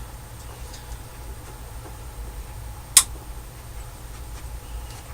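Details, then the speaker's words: Mesa Boogie .22 Cal tube amp, on standby with a guitar plugged in, with pops and noises when the volume controls are moved: a low steady hum with a sharp pop. Oxidized potentiometers (variable resistors) are suspected and to be cleaned with spray. "when I plugged my guitar into it and I mess around but the the volume controls you get this pop and all kinds of noises"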